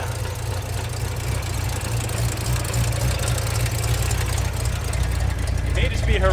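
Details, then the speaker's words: Fox-body Mustang V8 first started after sitting, new battery, running very rich and smoking, pedal stuck: deep, uneven idle stumbling and loping like a cam, choppy; owner suspects a misfire. "misfire. But it sounds like it has a cam. But I think it's just a misfire. This thing sounds choppy"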